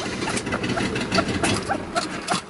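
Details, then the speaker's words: Mercedes W123 Pullman limousine engine running briefly on gas poured down the carb: rough, uneven run with sharp puffing ticks about three or four a second; exhaust leak, carb needs rebuild and fuel pump isn't pumping. "so it's a runner you definitely have exhaust leaf and you definitely need to do a little work on it"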